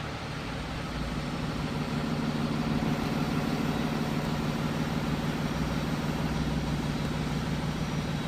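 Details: Freightliner M2 with Cummins ISB diesel, first start after replacing the turbo actuator, with coolant full and no leaks: steady, even idle with a smooth low rumble and no knocks, misses or hunting; healthy.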